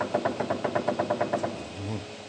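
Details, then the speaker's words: 2011 Kia Sportage, dry electric-assisted steering rack, shaft worked by hand on lift: about ten sharp evenly spaced knocks, roughly seven a second; bushings wear, then bearings, rack to be removed and rebuilt with new bearings and heavy-duty bushings. "Втулки разбивает. Потом разбивает подшипники."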